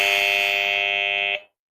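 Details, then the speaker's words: Three-phase supply with a phase-reversal relay, 230 V relay and alarm; yellow and blue phases swapped on purpose; steady high-pitched electronic buzz for over a second, then cut off; phase-reversal alarm sounding. "இப்ப வந்து base வந்து reverse ஆயிடுச்சு அதனால வந்து alarm அடிக்கிறது"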